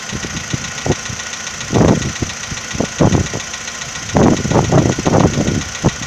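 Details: VW Polo Sedan 2015, morning cold start at idle: irregular hollow knocks and thumps, uneven in spacing and strength; owner asks whether it is piston knock, cause not confirmed.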